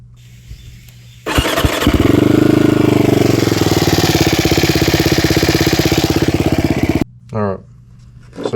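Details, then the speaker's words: Abandoned Can-Am DS450 single-cylinder quad starts and idles with a hard, even knock on every crank rotation, caused by a broken tooth on the crank/balancer gear; metal chips found in the cases. "basically every time you make a rotation you come around you see that broken off tooth it get right there right there makes a big old L thumb th every time it you hear it every time that thing would make a rotation so basically that's what makes our made our knock"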